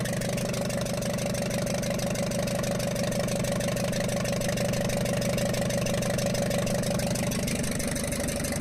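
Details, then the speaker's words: Ashok Leyland Captain BS4 N4 diesel (4923) idling with a steady sharp tapping about three per second, like an injector noise. It also had smoke and diesel spraying out. Fault codes related to the PRV and metering unit. A valve bridge had fallen off at the first rocker from the rear. "इसमें इसमें वाल bridge गिरने के कारण एक ऐसी आवाज आ रही थी जिस तरह से कोई इंजेक्टर डायरेक्ट भी होता है उसी तरह से नॉइस निकाल रहा था और साथ में जो है डीजल भी बाहर निकाल रहा था"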